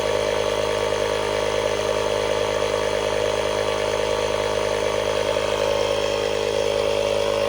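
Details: 12V tire inflator powered from Hulkman Alpha Pro jump pack's socket at 50%, inflating a tire: fast, even buzzing chatter of a small piston pump with a strong mid tone at steady pace; running normally, using about 1% of pack charge.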